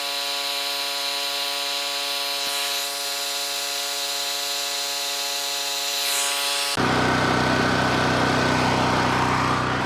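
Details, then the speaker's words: Cheap Chinese mid-size gasoline generator, slightly choked and not fully warm: steady drone, then a grinder load of about 1000 W kicks in near seven seconds and engine holds speed and frequency without sagging; healthy under load. "there we go folks perfect change frequency it did very well"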